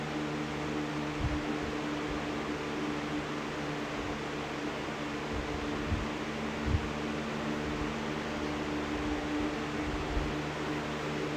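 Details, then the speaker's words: Box fan after a blade swap, at full speed: steady rushing airflow with uneven low thumps and a wavering drone that shifts with speed changes; the new blade is out of balance and quieter on low. "blade is definitely out of balance. You can kind of hear the starve sound somewhat transitioning when you change the speed."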